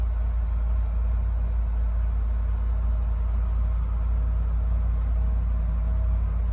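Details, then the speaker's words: 2010 Land Rover LR4 5.0 V8 after swapping TCM and valve body (ZF 6HP28) for code P0915: deep, smooth idle, no chain or timing noise; codes cleared and no warning lights. "Sounds good. Yeah, it does. No chain noise. No. No timing noise."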